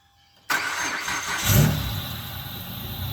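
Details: 2006 Hyundai Tiburon 2.7 V6 five-speed that misfired after engine washing: after blowing water out of the plug wells and adding dielectric grease, engine catches at once, revs smoothly and settles to an even idle; running clean.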